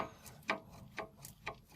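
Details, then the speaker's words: Sharp dry clicks about twice a second as the worn, loose front lower sway bar link ball joint near the wheel is rocked; the link knocks and needs replacing. "Как видно вот он люфтит при разбитии вот этого стабилизатора возле колеса слышен стук его нужно сейчас менять"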